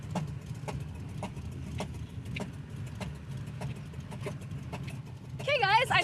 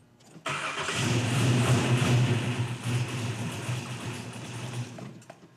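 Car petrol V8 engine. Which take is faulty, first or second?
first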